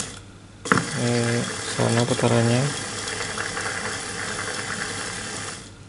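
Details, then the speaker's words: New, not-yet-installed electric power steering motor (Avanza/Xenia/Ayla type, for a Suzuki Katana DX conversion) bench-tested directly on a battery, run both directions: short clean whirring bursts spinning up and down smoothly, no grinding or knocking; motor normal. "oke untuk motor normal"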